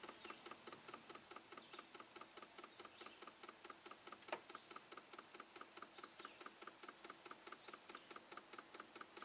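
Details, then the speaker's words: 1993 Cadillac Allante Northstar V8 with long hot-soak crank and an idle speed control code, key on engine off, scan-tool command: crisp, rapid, even ticking as the idle speed control motor steps but its pintle won't extend. "I can hear it moving. It's trying to move. The pintle is not extending. That's the sound I was hearing before."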